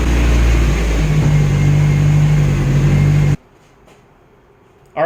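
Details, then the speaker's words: Nissan 240SX first start after injector cleaning and flow testing and setting cam timing, on the lift: steady, even low hum with no misses or stumbles, running as well as it ever has; normal idle. "so that was like as good as this cars ever run now we're gonna drop it down and see if we can take for a quick test drive here"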